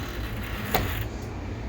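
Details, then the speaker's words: Large format printer X-axis carriage pushed by hand during belt and rail maintenance: one sharp click over a quiet hum from a crushed, damaged spot in the belt. "did you hear the the click so there's a there's an audible click and you can you can hear it"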